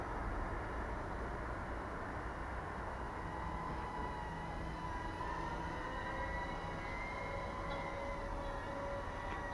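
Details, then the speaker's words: SPC Maker Key 1 micro quad, 6000 kV motors, TPU soft mounting: steady whining tones drifting with throttle, no rattle; motors sound good though footage still has slight jello. "But as you know, for the SPC Maker Key 1, the result is not yet perfect, even if the motor sounds good."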